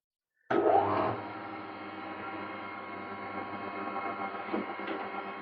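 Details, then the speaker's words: Planer after repair and lubrication: motor spins up sharply then runs a quiet, even hum with no crunch on engagement, where it used to crunch as it engaged. Normal planer engagement. "brilliant don't even hear it now I used to make a right crunch as it engages"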